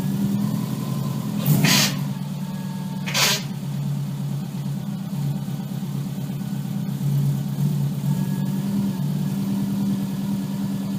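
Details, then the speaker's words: Subaru Impreza, steady engine with two sharp grinding bursts as a gear is forced: grinding selecting reverse, clutch drag suspected, unconfirmed. "I was just trying to get it in reverse. It didn't want to take reverse, grinding the gears, and then I went for first, and it didn't want to roll in first."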